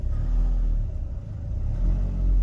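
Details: Renault Trafic / Vauxhall Vivaro 1.9 dCi diesel van, warm, which intermittently starts and idles but won't rev when hot; pedal floored, deep rumble swells as the engine now picks up revs freely instead of hanging at idle.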